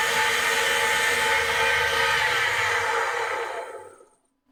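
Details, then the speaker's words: Valve grinding machine refacing a bent valve: steady high grinding whir with a faint uneven pulsing as the stone contacts the valve face unevenly; the unevenness was also felt by hand. "one was actually bad enough you could probably hear it so i'm sure i'm gonna let this thing uh play for you after i let it play for you guys so you could hear it but it was very very obvious on this valve"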